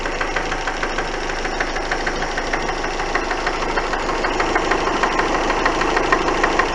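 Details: Engine at steady idle with sharp, regular knocking about three per second, growing slightly louder toward the end; cause unknown.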